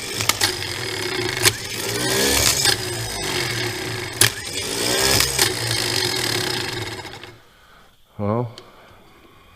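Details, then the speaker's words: IH 1086 tractor starter, said to have a bad drive, bench-tested fully assembled with positive and ground jumped: steady high-pitched whirring free spin with faint clicks, no grinding; sounds a lot better than the other starter, healthy. "I don't know what's wrong with this one but I'm gonna switch it off starter sounds a lot better than the other on"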